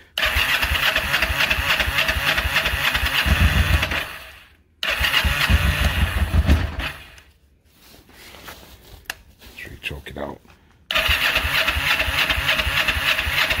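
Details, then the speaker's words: 1994 Kawasaki Vulcan 500, 12,266 miles, second start in 3 years, cold start on choke; catches rough, dies, sputters then refires, both cylinders warming; slow cold start, carb rebuild planned, cause unconfirmed. "see what it does all i have to say i mean both sides are getting warm it seems like it takes it a second"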